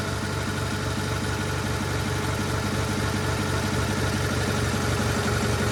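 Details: GT/18 twin after ignition rebuild, no choke, low idle: steady even putter without misses; charging system working, runs better than before, carburetor still needs tuning.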